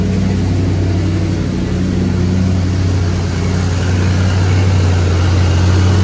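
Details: 1983 GMC K2500 Sierra Classic V8 barn find, first start in five years after sitting, new carb fitted earlier, fresh fuel being cycled, oil pressure and voltage present; steady even low idle, no misses or knocks; normal idle, carb jets may need cleaning later.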